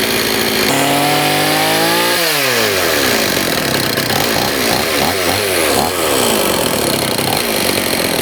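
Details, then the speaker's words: Old STIHL 026 chainsaw that sat about 10 years, first start after carburetor adjustment with choke: revs climb, drop and hunt unevenly with a harsh edge; compression feels awful. Diagnosis is a scored piston and cylinder, so seals or a carb kit won't fix it. "It's got scoring on the piston and the cylinder. And you know, you could change all the seals, carb kit, everything, and it's still not going to run the way it should."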